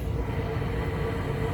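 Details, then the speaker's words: Carrier rooftop package unit on an old building with electrical faults (tripped main 200 amp breaker, suspected short), now running on heat: even low rumble with faint steady hum, no surging or rattles; normal heating operation. "you can hear my unit heating back there that's actually the unit that they called about and they didn't realize they had three or four other units down"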